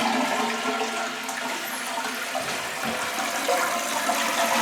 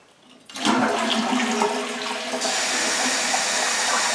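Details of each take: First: Toilet refill after draining trapped air from the supply lines: soft steady trickle with no big rush of water or valve hum; normal quiet refill. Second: Toilet flush, then a loud, harsh, high steady hiss of refilling water, started in the last couple of days; noise comes from the supply valve, caused by air trapped in the line.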